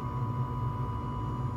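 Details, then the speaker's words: Rheem 80% 75,000 BTU residential gas furnace: burner lit and burning evenly with steady low roar and faint constant hum, no pops or surges, before the blower starts, as the board delays the fan while the heat exchanger warms; normal burner operation. "So we're at night, our fan's not on yet, so I'm gonna stick this back down in here."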